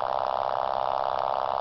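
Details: Homebuilt permanent-magnet pulse motor rewired with collapsing-coil radiant energy recovery circuit: rapid even buzzing pulses at steady high rate, mid-pitched tone; normal running.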